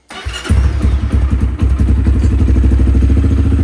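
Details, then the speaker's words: 2015 Honda CRF230 single, brought in not running, started after refuelling and a fully charged battery, choke then turned off: catches after a couple of thuds and settles into a fast, steady putter with no misses; healthy start. "sounds good chok's off right now I think there we go well we got her out here she seems to be running pretty good right now"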